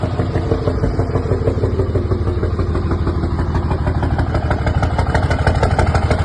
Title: 5.9 Cummins bad injector or knock 🤔🤔